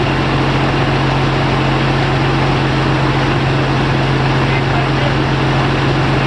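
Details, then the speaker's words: Audi TDI diesel in the Raptor prototype on its first run with the new reduction drive fitted and the old prop on: a steady, even diesel drone with a firm low hum and no knocks or misses; running normally. "this is the first time that we've run the engine with the Nuri Drive on there"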